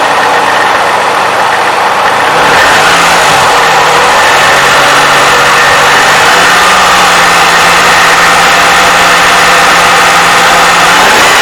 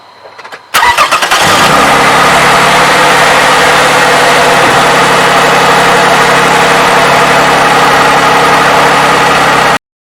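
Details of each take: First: 2007 Toyota 3.5L with 170,000 miles, cold start before adding graphene oil additive: light quick clacking about four per second over belt whine, near the valve timing advance mechanism. Owner says it's the known Toyota clack; it went away with a little throttle. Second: 2007 Toyota 3.5L with 170,000 miles, after graphene oil additive treatment: catches after a short crank and settles into a smooth, quiet, even idle with no ticking. Owner says he has never heard it so quiet.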